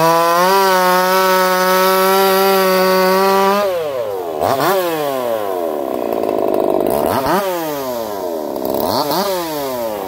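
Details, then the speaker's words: Echo CS4910 chainsaw with experimental taper-top piston/crank swap, ported for open crank, running a little warm, compression about 180 psi cold, 170 warm; clean high full-throttle scream dips and recovers smartly with each cut, pulling strong, normal. "I'll be curious to see what you guys think of that one. I don't even think it sounds like a chainsaw. It does run a little warm."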